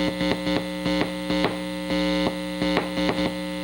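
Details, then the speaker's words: Restored and modded 1960 Airline Model 8503 tube amplifier: a steady, loud low buzz with pulsing bursts, quieter when the chassis is touched. Mains hum; owner suspects improper chassis grounding, possibly an ungrounded channel, not confirmed. "now one thing I'm noticing is there's a lot of noise on this and I touch the chassis it quiets quite a bit it's still noisy but that's only that I don't I don't think there's proper grounding on this chassis"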